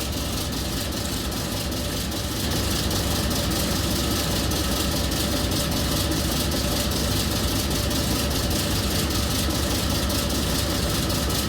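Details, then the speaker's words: Cooper-Bessemer GMVXD natural gas two-stroke engine, about 1,000 hp, driving a propane compressor at 300 rpm and running continuously since 1965: slow, heavy, even beat with steady mechanical clatter over a deep rumble, no misses or knocks; healthy running. "re just going to listen to the sweet sound of these old natural gas two-stroke supervisors it's a beautiful sound you never heard it just soak it in here it's it's a wonderful sound to my ear"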